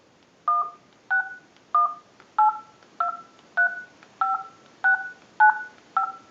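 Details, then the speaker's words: Vintage Frog telephone after repair, ring circuit redesigned to sound like a frog, called from a cell phone: regular two-tone croaky chirps about every 0.6 seconds, clean and steady; ringer works properly. "Now what we want to do is go ahead and use a cell phone and call our number, and you'll hear the ring cycle audio."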